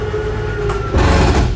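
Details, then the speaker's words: 2022 Jayco Jay Flight 267BHS travel trailer slide-out extending: steady motor hum turns into a rough, low gear-grinding rattle at full extension, which is normal and signals full travel. "you hear that gear grinding noise you know you're fully extended"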